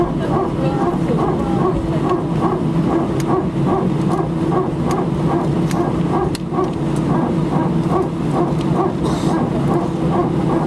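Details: Air France A319, flight AF2487 Sofia to Paris, 15/01/2012, recorded from cabin seat 18F while taxiing for take-off: rapid, regular barking buzz two to three times a second over steady engine drone; strange repetitive barking, cause unknown.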